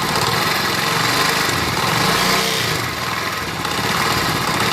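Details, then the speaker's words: Motorcycle revved up: fast, busy metallic rattle from the cylinder head over the idle, louder with revs; worn timing chain. "जो साउंड आ रही है यहाँ पर, ये जो साउंड है ये बेसिकली टाइमिंग चेन की साउंड है।"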